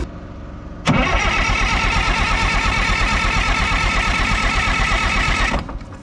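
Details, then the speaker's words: Front-end loader diesel that sat about 15 years: steady rapid starter cranking for about five seconds with no firing, with air still in the fuel system. Tank is being pressurized to push fuel toward the injection pump. Cranking no-start. "I don't know if we can push through the injection pump or not I don't know if that's a real thing you should try and yeah we might just have to crank on it to get fuel into there"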